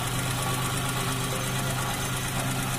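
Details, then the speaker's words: Chevrolet Shark 800cc front-wheel-drive engine just overhauled, reinstalled and started for the first time: even, steady idle with constant low hum, no knocking, misfire or ticking; engine sounds healthy. "Nah, ini mesin sudah kita pasang semua ya, tinggal kita coba starter bro, kita hidupin. Oke, mesin hidup teman-teman"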